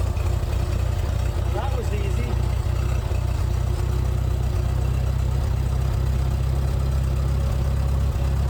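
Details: Gas International Harvester 434 tractor, long unrun, battery boosted, running after governor rod reconnected to carburetor: steady low-pitched chug, even with no misses or knocks; healthy and settled.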